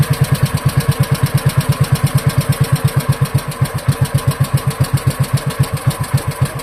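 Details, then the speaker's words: Wisconsin Model AB single-cylinder engine after carburetor clean and rebuild, set very slow with no choke: slow, even thumping, steady. Runs cleanly but died after a little while at this speed. "That's running That was running pretty slow. Now, of course, it did end up dying after a little bit."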